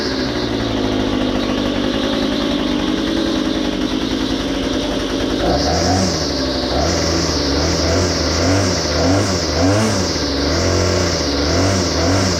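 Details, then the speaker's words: Well-used small two-stroke engine picks up on throttle, then revs surge and sag back repeatedly instead of holding, bogging on acceleration; owner plans to adjust the carburetor low and high mixture screws to fix it. "you'll hear the throttle response it'll start to climb and it'll bog and we're going to make an adjustment here"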